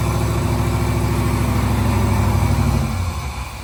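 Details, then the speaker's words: Fuel-injected big-block 1970 Nova, first start after conversion: a deep V8 burble with uneven, lumpy firing that sags as it fails to take throttle. It runs lean. "all right so we got it fired up it fired right up it didn't give us too much trouble uh so that's a good sign but it's struggling a little bit to take throttle uh it's got a little lean spot in it so we're going to work on that for a minute"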